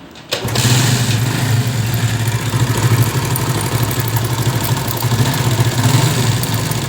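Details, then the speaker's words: 70cc motorcycle engine idling with a fast, dry rattle over its low thrum: timing chain noise persisting despite repeated chain changes and tightening; tensioner suspected. "कि आपने सुना कैसे यह गाड़ी की जो timing चैन आवाज कर रही थी"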